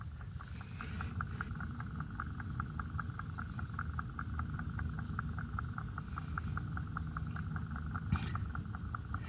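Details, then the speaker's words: Irrigation system at the backflow preventer: fast, even clacking about four per second over steady water rush; the check valve chatters from back pressure because an upstream sprinkler zone valve leaks and will not shut off. "I'm going to put the put the uh put it down here and see if you can hear this noise. This like clacking noise like clack clack clack clack clack clack."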